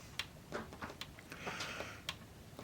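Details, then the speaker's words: Pioneer CT-S405 cassette deck with tape-sense switches held down: faint irregular dry clicks, no motor run; head mechanism trying to raise the head to the tape but not moving, deck needs teardown. "now if you depress those two switches you can hear just clicks what it's trying to do is raise"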